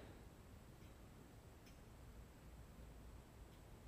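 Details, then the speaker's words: Front disc brake on a GT mountain bike, spun after loosening the caliper bolts with a 5 mm hex key, pressing the caliper on with the lever squeezed, and retightening: the wheel spins quietly, with only faint ticks and no rotor rub. "let's try to do it uniformly and now we will spin the wheel and see if there's any noise let go of the brake lever spin the wheel"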